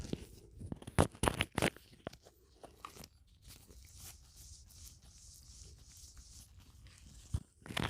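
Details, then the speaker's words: Brand-new replacement wheel bearing hub for a 2017 Mini Cooper Countryman All4 F60, turned by hand with the microphone held against it: faint smooth hush, no grinding, pretty quiet; old rear bearings had caused a drivetrain rumble. "Pretty quiet."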